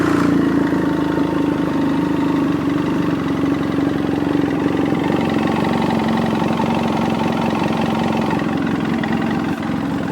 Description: Piston slap audio, cold engine.